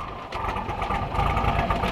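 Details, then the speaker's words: Toyota pickup, cold engine, after a disc brake conversion: busy, slightly fast idle running evenly without knocks or misses; normal cold idle. "She is cold, so she's gonna be sounding like that for a little"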